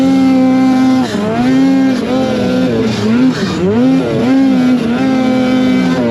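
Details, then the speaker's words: Silber Turbo Polaris 9R snowmobile on day-one testing in fresh powder, Revelstoke BC: high revs sag and recover every second or so while climbing; bogging and cutting out, owner unsure whether powder bog or over-revving. "Kind of getting that bog. I mean, it could be powder bog, but it kind of feels like potentially over revving and it's cutting out."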